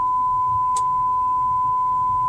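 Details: BMW 535i in reverse: constant, unbroken high beep with no obstacle behind; a loose rear parking sensor is triggering a false alarm; stopped with the console button.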